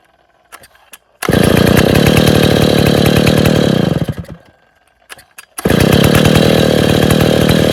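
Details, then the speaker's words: Stihl 070 chainsaw at first start after reassembly, with choke and clutch not yet adjusted and cover and bar not fitted: fast, even firing beat, stalls, then restarts and settles into a steady run; running normally. "... लीजिए, सज्जनों, यह चालू हो गया, चल गया। बेशक, यह आवाज़ कर रहा है, कुछ चीज़ें बाकी हैं, चोक और क्लच को ठीक कर रहा हूँ, कवर लगा रहा हूँ, एक गाइड बार लगा रहा हूँ और इसे काम पर लगा रहा हूँ, इसका परीक्षण कर रहा हूँ।"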